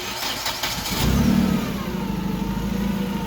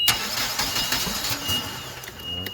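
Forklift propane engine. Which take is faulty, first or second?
second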